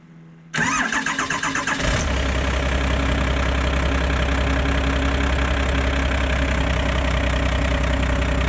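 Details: 2004 F350 with a swapped-in 1997 12-valve Cummins, new 6.4 starter just fitted: quick brisk cranking for just over a second, then the diesel catches right away and settles into an even, steady idle.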